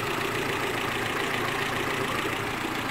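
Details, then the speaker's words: Renault Clio petrol engine idling smoothly and quietly, no misfires or belt noise, after the misfire was fixed by replacing the ignition coil, belts tensioned and timing set; water pump was the earlier noise. "o motor ficou muito bom homem silencioso agora nada de falhas"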